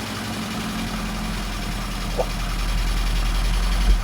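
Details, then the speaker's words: Barn-find Lotus twin cam, off the road 33+ years, just restarted: low, even burble with steady rhythm, no knocks, misses or hunting. Normal idle. "Do you reckon it'll idle by itself? There you go. That's amazing."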